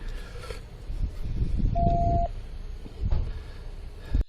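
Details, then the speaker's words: Police radio emergency alert tone meaning clear the air, which keeps beeping: one short clean steady mid-pitch beep over muffled vehicle rumble. "you hear that beeping that's the alert tone when he said clear the air that beeping will keep beeping"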